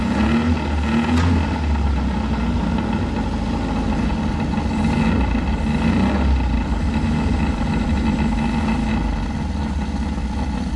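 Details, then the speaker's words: Abandoned 1983 Mazda B2000 carbureted engine, engine was a little stuck, idling after revival with the carburetor fed through the vent: even idle with a soft, regular beat and no knocking or misses, smog pump audible, smokes a little. Normal idle. "that's just that smog pump hear how quiet that thing really is like a little sewing machine baby a little sewing machine who just smokes a little bit"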